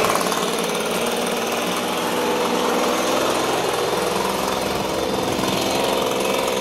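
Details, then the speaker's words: Echo PB265LN leaf blower, curbside trash find, freed from seized engine, fuel leak: two-stroke buzzes with rough, slightly uneven note, runs on first start; smoke is WD-40 and oil burning off, owner feels it lacks power. "all of that smoke was the wd-40 and the oil burning off i do feel it is lacking some power"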